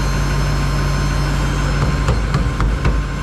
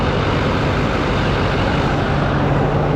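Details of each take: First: 2021 GMC Denali Duramax diesel after rebuild, sitting since November, good oil pressure: a steady high-pitched whine over a rough idle that doesn't follow the engine beat; suspected in-tank lift pump, quieting, possibly air in the system. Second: 2021 GMC Denali Duramax diesel after a rebuild, idling shortly after first start. Steady, even diesel clatter with a smooth low rumble and no knocks or misses; sounds really good, normal diesel idle.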